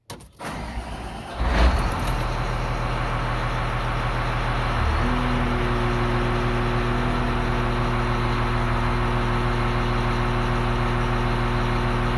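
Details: Grader diesel with axial piston hydraulic pump, side shift stalled at about 33.75 maximum system pressure; engine holds an even, unlaboured drone because the pressure limiting compensator fully de-strokes the pump, so little engine load.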